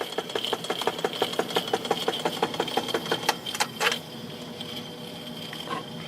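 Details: Webster 256 record changer turntable after motor disassembly, lubrication and replaced rotted bushings: steady ticking around 87 a minute with a faint high whine, uneven and dragging, then fading; motor dead spot and speed fluctuation remain.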